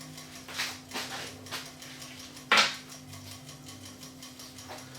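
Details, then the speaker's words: Yamaha CDC-S90 CD player in an RX-S70 mini system that won't read discs: one sharp click at play, then only a low steady motor hum as the disc spins without reading; a sticky optical pickup sled. "when I press play that's all you hear you hear a click and sound and the disc rotates"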